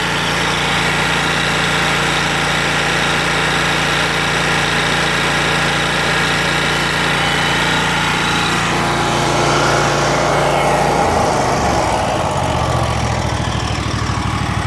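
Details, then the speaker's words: Kawasaki FX801V V-twin on a Kubota zero-turn mower with 400 hours, believed solid-lifter, cold start: fast light ticking chatter over the idle, rising with revs, seemingly more noticeable at idle or low speed; cause not pinned down; engine ticking. "to me it almost sounds more noticeable at idle or low speed"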